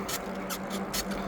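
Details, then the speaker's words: eBike on a trail ride: sharp, high squeaks two or three times a second in step with the pedals that stop when pedaling stops. The squeak was new since the day before; the shocks squeak less, so the cause is unknown. "so I don't know what it is. See, if I stop pedaling, it stops squeaking."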